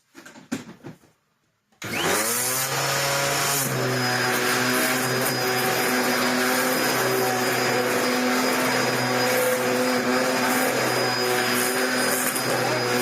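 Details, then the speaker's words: Dyson DC01 upright vacuum built 1998, after a replacement brush roll and new wheels were fitted: the motor spins up to a steady, fairly loud drone with a whirring rattle on top; the new brush roll is a little noisier than the original. "I'm going to tell her and say I changed it, but it's a little bit noisier."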